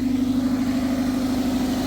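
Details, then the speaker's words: Toyota MR2 Mk3 with new battery and previously repaired exhaust manifold, cold, steaming from exhaust: steady low hum with an even, smooth beat and no knocking or ticking; healthy idle. "And so far, everything sounds good. You can see we've got steam. We've got exhaust fumes."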